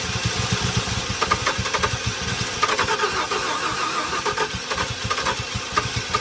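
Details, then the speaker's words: 1994 Ford F-150 parked seized for 7 years, fresh gas, primed fuel line: steady cranking with puffs that almost catch but never run; ignition timing off from a loose distributor, fixed by tightening it. "I think I know how to go for it. I tighten that distributor down. Got oil pressure."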